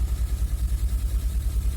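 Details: 2003 Honda Accord V6, first start after engine swap (previous engine had rod knock), borescope showed oil in cylinders; deep, lumpy idle surging unevenly with a skipping beat, missing on some cylinders, check engine light on; misfire.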